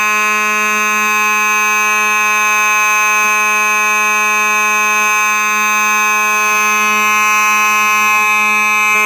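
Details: Simplex 4903-9219 mechanical horn strobe, horn and strobe together: very loud, steady buzzing hum near 200 Hz with bright overtones, unbroken throughout; the mechanical horn sounds normal.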